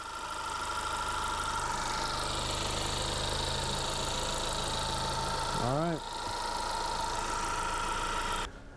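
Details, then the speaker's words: 2017 Honda Accord after replacing the belt tensioner pulley assembly: smooth even idle with a steady hum and no squeal, chirp or rattle from the belt side; much quieter, running healthy. "[Music] wow what a difference very quiet"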